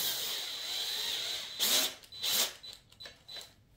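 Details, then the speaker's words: Drilling a pulled headbolt hole in an aluminum LS6 block (C5 Corvette rebuild) for a Time-Sert style insert, air compressor in the background: whining drill tone goes thin and even as the bit bottoms out; flattened tip stops biting and just spins. "listen to this drill bit here how it lost all his resistance that's at the bottom of the"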